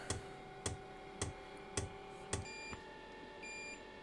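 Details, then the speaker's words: Diesel heater newly installed in a shed and fed from a 5-gallon tank, on first start with the fuel line unprimed: five sharp beeps about half a second apart, then a steady tone; an out-of-fuel error code. "So, right now it is beeping an air message that says out of diesel."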